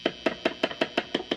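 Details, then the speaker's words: Squier Stratocaster after the input jack was re-soldered, neck pickup, through an amp: eight crisp screwdriver taps come through clearly with a ringing tone; pickup and jack work, and volume and tone pots are not crunchy. "volume pot works it's not crunchy this tones not crunchy that one's not crunchy"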